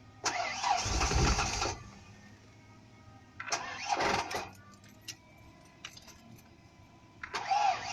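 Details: Car with a dead battery: the starter churns over in short, laboured bursts and never catches. It is a slow crank and no start from a dead battery.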